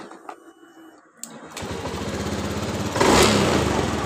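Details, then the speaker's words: Honda Beat ESP scooter that sputtered and died on throttle despite a roller replacement, after an ECU reset via the DLC socket. Quiet clicks, then it catches into an even, steady idle with no misfire or hunting: normal start and idle. "seperti ini kita perhatikan motor hidup dengan normal"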